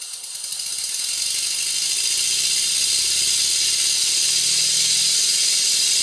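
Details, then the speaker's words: Model steam engine, slide valve valve timing reset with the largest eccentric lobe at 90 degrees to the crank pin, admitting just before top dead center. Quick, even chuff about three beats a second under a constant hiss. Slide valve still blowing. "as you can hear the air has been admitted just before top dead center at both ends of the stroke the slide valve is still blowing I will sort that out in the fullness of time"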